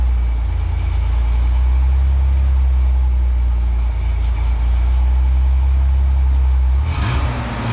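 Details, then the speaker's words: 1988 Ford Bronco II (Ranger-based) after welding and clamping the exhaust: deep, smooth, even idle with a quiet, low exhaust note and no rasp or leak puffing; normal exhaust, issue fixed. "That should be good. That's pretty quiet."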